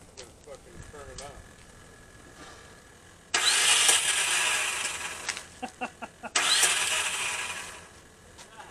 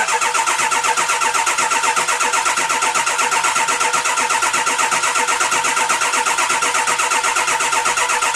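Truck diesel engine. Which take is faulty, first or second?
first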